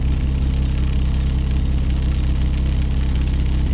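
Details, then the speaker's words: Truck with catalyst efficiency code P0430 idling, started and put in gear: deep boomy idle with an uneven low throb, felt and heard; motor mounts are said to need replacing, suspected worn mounts causing heavy vibration. "this truck also needs motor mounts when you have it running let's start it up and show you I mean you hear you can hear it and feel it"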